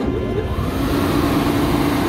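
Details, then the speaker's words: Fan unit (3.2 A full-load, 230 V) that blew its switch runs with a loud steady rumble and hum, vibrating badly; the vibration is suspected of ruining the switch. "don't know if it comes across on the camera but this thing is vibrating really bad and that would ruin that switch"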